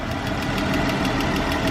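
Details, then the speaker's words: 2013 Chrysler 300 3.6-litre engine at idle: sharp even ticking about six times a second, lifter-like, traced to a loose rocker arm. "sound like a lifter and something and it's in there ticking"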